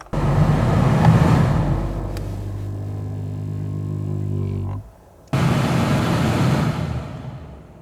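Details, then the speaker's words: Lexus 200h AC blower after repair with superglue, engine on: fan spins up to a smooth steady hum, stops and restarts evenly, earlier grumble completely gone; normal blower running. "this fan up and see how it sounds guy sounds Bella turning off no grumble completely gone"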